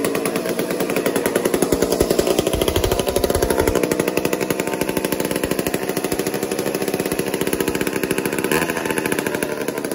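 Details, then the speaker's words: Old McCulloch 1-10 chainsaw, not run for a long time: rapid, uneven two-stroke firing that surges and sags while being tuned; erratic running. "watch what happens here it's erratic it hasn't been fired for like a long time"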